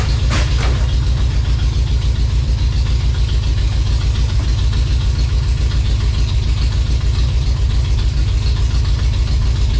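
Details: 1956 Chevy V8 hot rod, fresh timing set, first runs after revival, high-stall converter; lumpy idle with a regular stumble about three or four times a second in the exhaust beat; owner hears a definite miss, cause not confirmed.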